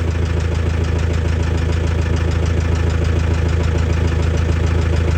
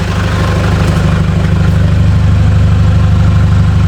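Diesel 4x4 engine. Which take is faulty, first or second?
first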